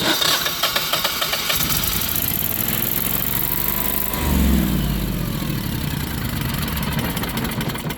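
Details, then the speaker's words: Generac 22kW Guardian air-cooled propane standby generator: catches and runs unevenly for a few seconds, then sags and stalls, setting error 1501 RPM sense loss, sometimes 1902 undervoltage; fuel pressure loss at the LP regulator suspected. "Get a start stall. Sets an error, RPM sense loss, which is 1501."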